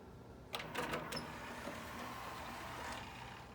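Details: Sony CDP-CE275 5-disc CD changer making a few sharp clacks, then a steady loud mechanical whirring hum from the mechanism, cause unknown.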